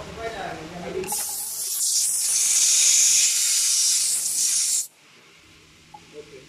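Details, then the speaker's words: Mercedes Actros truck A/C overcharged with refrigerant (about two vehicles' worth), gauges reading very high after sitting off two hours; loud steady gas hiss then sharp cut-off as excess refrigerant is bled off, still too much: refrigerant overcharge. "फिर इंशाल्लाह कितना over refrigerant है अभी भी ज्यादा है और नीचे आनी चाहिए"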